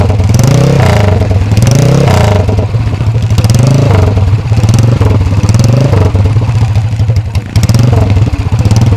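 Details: Workshop-restored 1970s Alan Clews CCM big-single racer dirt bike, oil carried in the frame, being blipped: a loud, deep, even beat that swells and falls with the throttle. It is a strong, healthy big single.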